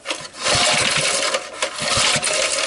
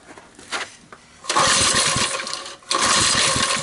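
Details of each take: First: 1989-coded 3 hp Briggs and Stratton engine on an early-1970s ARCO Model 3600 mini bike, oil just topped up: slow recoil pull gives a steady rasp with firm, even puffs as the piston comes up; compression sounds healthy. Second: 1971 ARCO mini bike, 3 hp Briggs & Stratton single, oil topped up, running on a shot of starting fluid: catches in bursts, a second or two between sputtering stops; has compression and spark, carburetor condition unknown, choke and governor tampered.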